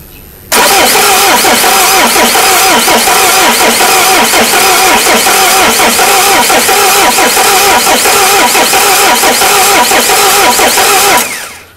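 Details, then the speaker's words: Peugeot 307 HDi 2.0 common-rail diesel that died while driving and would not restart: after the rail fuel check it finally catches, belching heavy smoke, with a loud, rough, rattly idle; injection timing is still uncertain. Hard starting. "bueno ahí arrancó Mira el humo que dejó esto es impresionante el humo que larga arranca ya las cansada y larga un humo que llena todo de humo"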